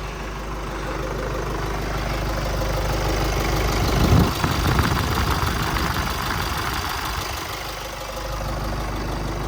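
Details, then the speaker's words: 2015–2022 GMC Canyon/Chevrolet Colorado 2.8L Duramax diesel started after replacing both fuel filters and priming by cycling the ignition: steady idle clatter with one brief flare while air purges, then settling smoothly. "And it may run a little erratic a little bit at first till it gets all the air pushed out of there."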